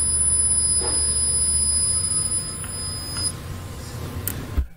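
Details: A steady high-pitched buzzer sounds for about three seconds over a low hum at switch-on of a PylonTech US2000 48 V 2.4 kWh lithium-ion battery, with the alarm LED lit.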